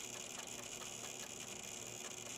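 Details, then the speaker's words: Dusty gaming PC with single water cooler, power-on into BIOS: steady high whir with fast faint pulsing over fan hiss; CPU temperature climbs from 43 to 49°C, cooling issue; fan reportedly ruled out, cause unconfirmed. "let's go ahead and hit this power button i'm going to go ahead and start to hit this delete button oh i am hearing noises here"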